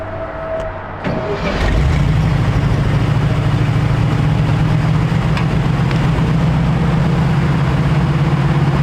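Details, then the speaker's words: 1951 Chevrolet half-ton truck, long sitting, old fuel: cranks, catches and holds an uneven low idle only on heavy choke; running very lean, lacking fuel, idle circuits uncleaned and needle and seat suspected sticking. "Well, so that tells me it's running really lean. It's getting way more air than fuel, so we're still lacking fuel."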